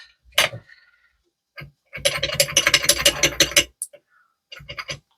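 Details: Vespa LX 50 scooter engine, stripped down after a rattle complaint: the removed crankshaft main bearing is spun by hand and gives a loose, gritty clatter; the bearing is worn out while the bearing seat is OK.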